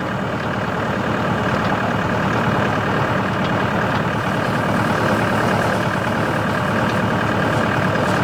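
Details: Tractor running CountyLine PTO post hole digger with 12-inch auger in hard clay; steady even drone under constant load, no knocks, slips or grinding; digger worked flawlessly; normal operation.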